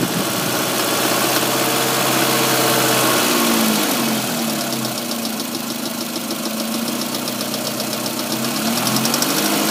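Crisp, evenly spaced ticking, roughly four per second, sits above a quiet idle and stays steady throughout: an engine tick of unknown origin.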